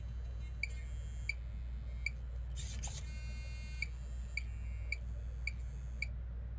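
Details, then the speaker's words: Servo newly mounted on the axle of a TRX-4 crawler, setting steering endpoints (travel) on the bench: sharp high chirps repeating over a low hum as the servo strains at full lock, cured by turning travel down; servo straining at steering end point. "so i've just turned down the travel until until the servo stops making a racket when i turn full turn"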